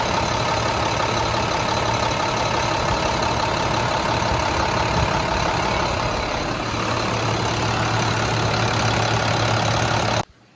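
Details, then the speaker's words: Rebuilt International DT466E diesel after repair, running before a 5–10 minute leak check: steady, even idle with a smooth low beat, no knocks or misses; sounds much better than before the rebuild; normal diesel idle. "but everything sounds great i mean to me that engine sounds very very nice compared to the way it was"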